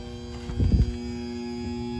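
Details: Payne 5-ton R22 central AC condenser not cooling: the contactor clunks, then a steady electrical hum with no compressor start; a defective dual run capacitor that looked fine, which was replaced.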